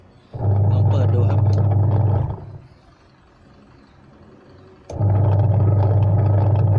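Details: Washing machine that turned but could not spin clothes under load, after fitting a substitute replacement part: steady low motor hum with rhythmic swish, stopping and restarting as the drum reverses; agitation sounds normal, repair works.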